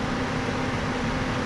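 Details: HVAC indoor blower run by jumping R to G after troubleshooting a loss of low voltage traced to cracked solder joints under the terminal block: steady, even rush of air with a constant low hum, no rubbing or rattling; normal operation.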